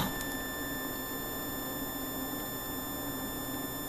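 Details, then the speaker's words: Homemade pulse charging circuit for restoring sealed lead-acid batteries, with a 20 W bulb across the transistor's collector and emitter: faint, steady high-pitched whistle with thin overtones as the ferrite core sings. "that's that farite singing and uh I don't know what that means"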